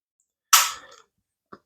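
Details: SIG Sauer P320 pistol function check after cleaning: one crisp sharp snap as the trigger breaks, then faint small reset clicks; clean, healthy trigger function.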